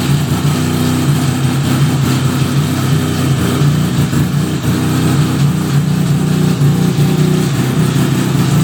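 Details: 1975 Suzuki RE5 rotary after full restoration: a steady idle with an uneven low whirr and faint clatter from the gearbox side after starting; abnormal transmission noise, cause unknown, engine to be removed to inspect the transmission.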